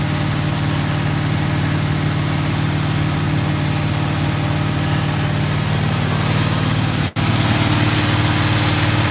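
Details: Freshly built GMC truck V8, first start: steady, even low rumble at idle with no knocks or ticks; an exhaust leak and a backfire were noted later, oil pressure good, thermostat opened.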